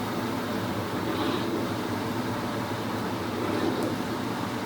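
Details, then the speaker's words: Vintage restored Maytag washer, heavy older model, during rinse and spin cycle at top speed: steady, even whirring hum with smooth low drone, no knocks, scraping or buzz; normal spin cycle. "top speed it's kicking it now there she goes that's the rinse and spin cycle"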